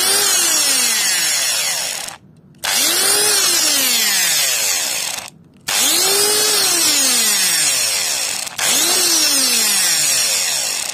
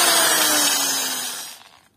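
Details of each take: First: Angle grinder about 8 years old, after brush (carbon) replacement: four short bursts spinning up to a clean even whine; earlier muffled, rough noise gone, attributed to loose brush holders. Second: Eight-year-old angle grinder running with a harsh, noisy, muffled roar it didn't have before, then winding down, with sparking; caused by loose carbon brushes.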